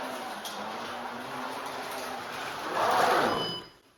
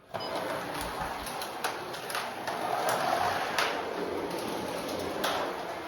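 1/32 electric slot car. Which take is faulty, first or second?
first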